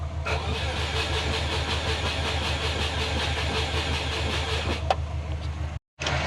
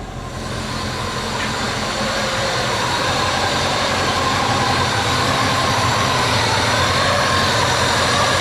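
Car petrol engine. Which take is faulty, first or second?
first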